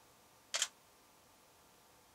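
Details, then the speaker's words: Canon 7D in a recording studio, measured at 3 feet at 53 dB: one crisp mechanical shutter snap, then a faint trailing click in a quiet room. Normal shutter sound. "This is just the sound of the shutter of the Fuji X-Pro1. And at 50 feet, at 3 feet, it's below 50 decibels."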